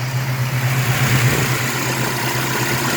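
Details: 1967 El Camino 427 big-block with MSD Atomic EFI (return-style fuel, O2 sensor in header), about 100 miles since install, fully warm: deep, steady idle with even beat, no ticks or misfires; healthy.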